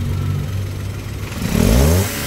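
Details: Toyota Wigo petrol engine after fixing a P0203 injector #3 misfire: even idle, then a quick throttle blip rising and falling back smoothly. Normal running after repair.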